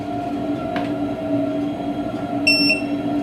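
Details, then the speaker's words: 40 kW wall-mounted gas boiler at maximum power in hot-water mode: steady tonal hum with a thin high whistle that was absent in heating mode. "вот работает сейчас на максимуме по горячей воде появился песка слышь ты"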